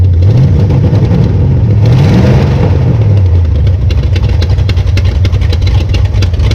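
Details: 1966 Belvedere after swapping a flooding cheap Quadrajet for a rebuilt used Edelbrock carburetor: steady idle burble then a clean rev that settles without stumble; normal idle and rev.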